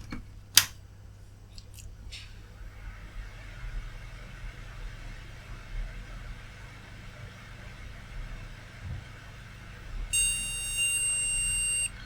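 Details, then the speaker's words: Flea-market PC, motherboard gives one steady high POST error beep of about two seconds over quiet fan hum, after fitting the RAM that came with it with the RAM terminator strip left as is; same beep as before, likely memory not accepted. "And let's have a look to see if it will make at least a different bleep."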